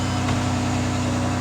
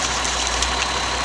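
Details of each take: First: 2009 Ford Escape 3.0 V6, first cold start after repair of bank 2 lean and cylinder 4 misfire codes (P0174, P0316): a steady, even idle hum with no stumble or misfire. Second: 2009 Ford Escape 3.0 V6 idling with irregular stumble and uneven exhaust beat; codes show bank 2 lean, cylinder misfires and injector circuit open, misfire and lean being side effects; checking 15 A fuel injector fuse.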